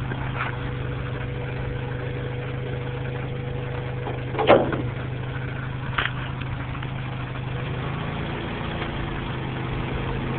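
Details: Acura B18 petrol engine idling with a loud metallic grinding whir under the hum: a failing water pump bearing, which risks seizing and damaging the timing belt.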